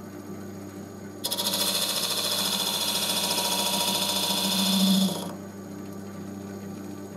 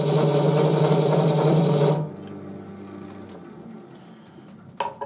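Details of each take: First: Wood lathe scraper cut with only part of the edge engaged: spinning hum, then about four seconds of even cutting hiss with no chatter. A clean, normal cut. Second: Wood lathe scraper engaged across its entire cutting edge: loud rapid rattling buzz as the whole wooden workpiece vibrates, stopping abruptly when pressure eases; scraper chatter vibration.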